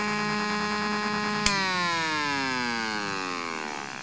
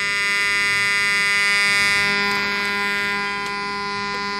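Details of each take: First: Homemade AC-powered AM transmitter heard on an AM radio: sharp click at switch-off, then a whistle sliding down in pitch as the filter capacitors discharge through the oscillator. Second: Homemade AC-powered AM transmitter received on multiband AM radio via long copper-wire antenna: clean, steady buzzy 484 Hz modulation tone, silent when transmitter off; normal test tone reception.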